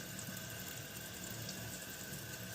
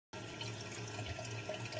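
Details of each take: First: Kohler toilet tank refilling after replacing the leaking yellow canister flush valve seal (dupe for Kohler): steady even rushing hiss as the tank fills, no sputter or stop-start; normal refill. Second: Kohler toilet running constantly: a steady gentle hiss and trickle of water into the bowl with no shutoff. The leaking rubber flush valve seal (yellow gasket) is the cause, and replacing the gasket fixes it.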